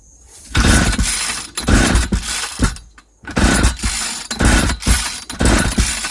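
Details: 1995 Ardisam 8900 auger (Earthquake/Eskimo), about 20 years old, no start despite new spark plug; ignition on, full choke, no primer bulb: repeated rope pulls give brief sputters that never catch, an apparent fuel system fault.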